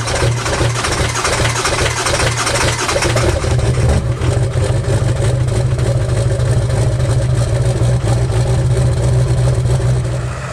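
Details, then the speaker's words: 2002 Ford F-350 7.3 Powerstroke diesel, about 297,500 miles, before oil pan, seals and coil-spring axle swap: steady, even diesel clatter with a smooth low rumble, no misses or knocks; healthy idle. "there's nothing visually wrong and don't get me wrong this truck runs awesome"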